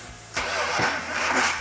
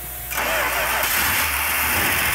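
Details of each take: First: Freshly rebuilt 340 Six Pack V8 from a 1971 Dodge Demon on a test stand, first start with distributor just installed: labored cranking catching with a sudden rough burst and uneven firing; ignition timing too far advanced, distributor rotated back. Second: Freshly rebuilt 340 Six Pack V8 from a 1971 Dodge Demon on a test stand, after retarding distributor timing: catches and settles into a steady, even run with light valve tick, normal valvetrain noise; runs good despite an oil leak.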